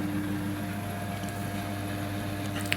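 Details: Leslie 910 rotary speaker cabinet with both horn and bass rotors at fast speed: quiet, steady motor hum with an even tone and no rattling, scraping or buzzing. Rotor motors running normally.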